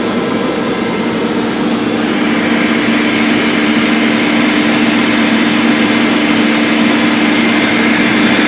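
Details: BMW M62B44TU V8, stock exhaust, after the timing chain tensioner was replaced with an aftermarket INA part (BMW 11317531813); smooth, steady hum with no chain rattle or slap at idle; normal idle.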